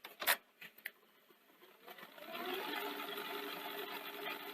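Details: Akai VR-X475EGN multi-standard VHS recorder after refitting a belt and adding a washer: a few light engagement clicks, then a smooth, even mechanism hum with no grinding or squeal; normal tape transport.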